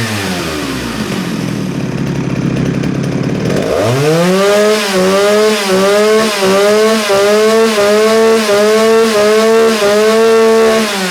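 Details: Vintage Jonsereds 49SP chainsaw, 16-inch bar: fires after the pull and holds a strong, clean tone that swells evenly with each throttle blip; runs healthy.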